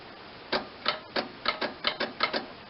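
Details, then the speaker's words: John Deere 318 lawn tractor with Onan twin, first start attempt in years: string of sharp, uneven clicks with no cranking; 12 V reaches the solenoid but far less passes to the starter; owner suspects corroded solenoid. "most likely corrosion because I do hear it activating get here it pulling in but it's just not connecting"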